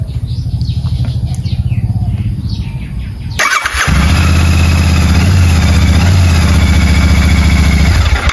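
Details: Royal Enfield Meteor 650 twin started after refitting fuel tank and seat: a few seconds of starter whirr, then fires and settles into a steady, even low thump at idle; runs healthy.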